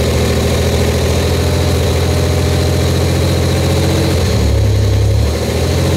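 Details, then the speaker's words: Buick Grand National newly built engine at the start of cam break-in: steady, even fast-idle drone, slightly loud exhaust from an untightened down pipe, no knocks or ticks. The engine runs normally. "looking pretty good no leaks No Mess anywhere we're doing good they're fired right up first shot I'm impressed with that"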